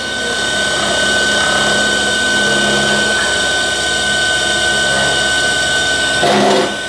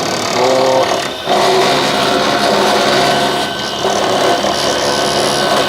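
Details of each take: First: Newly installed 12-volt air conditioner compressor on first power-up test, drawing about 13–15 A: steady electric whir with constant high whine, sucking and building discharge pressure; runs normally, some vibration noise from mounting. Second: 12 V air conditioner compressor running after replacement on a temporary mounting: harsh, buzzing rattle over the compressor from the loose mounting vibrating, not from the compressor itself.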